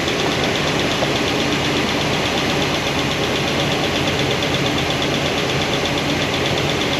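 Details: Number 7 exhaust on a new hydraulic roller cam and lifter combo, valve covers off at idle: after the poly locks were retightened the light, fast tick comes right back. Hydraulic roller lifter noise with little oil flow there; it won't adjust out.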